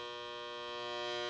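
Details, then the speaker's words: Furnace/AC blower motor, capacitor already replaced, again noisy and overheating. A steady electrical buzz-hum with no spinning whoosh as the motor locks up and stops turning before shutting off; seized blower motor, to be replaced. "Alright guys, so it starts to make this noise here, where it's basically completely stops spinning."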